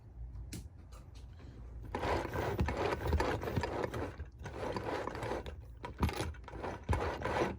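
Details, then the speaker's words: Penn Line/Bowser Pennsylvania Railroad T-1 4-4-4-4 kit locomotive after a repair attempt: gear whirr in short bursts that keep cutting out abruptly; an electrical short keeps popping the circuit breaker. "That's the weirdest thing. I'm not touching nothing. Just popping off the circuit breaker."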